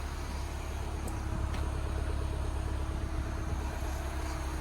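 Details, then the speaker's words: R56 Mini Cooper S after engine rebuild and new braided line, with the engine management light still on: quiet, smooth, even idle with no ticks or knocks; engine sounds perfect. "i did see we have still got an engine management light on but as you can hear sounds perfect very very quiet"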